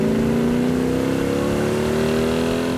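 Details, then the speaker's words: Hemi GTX convertible with dual quads on a test drive: deep, even exhaust note climbing smoothly in pitch under hard acceleration, with no misses or knocks; a healthy, strong-pulling engine. "yeah you can hear it coming down the road that is one snarler of an engine I see why they like the exhaust that does sound really good"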